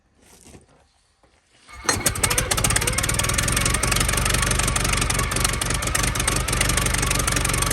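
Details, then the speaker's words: 1914 Buick with 1776.4 original miles, stored about 85 years, running on fresh premium fuel, cooling system leaking water: fires after a couple of seconds, settles into steady, fairly even chuffing; runs healthy. "I gotta say, she runs really good."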